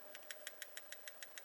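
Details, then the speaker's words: Compression lock folding knife build: crisp metal ticks as the locked blade rattles, because the thin, cut-down lock flexes up and down; blade lock rock rattle, later cured by reworking. "uh which might have been a problem um it definitely still works but I don't like the movement in the blade here"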